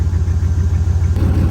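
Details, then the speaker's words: Truck on 44-inch Boggers after mudding, engine briefly locked: deep heavy knocking at idle, steady pulsing thud under exhaust; owner suspects crank or cylinder walls, slight smoke, still runs. "That sounds so bad. Cylinder walls or crank?"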